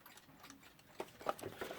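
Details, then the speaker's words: Serviced movement from a large plastic Smiths clock, stamped H85, which had earlier balance trouble: faint, light ticks, a few each second, in a quiet room; now ticking normally. "inside we have the ticking works which i've serviced and that's just had a bit of trouble with the balance but i think it's okay now"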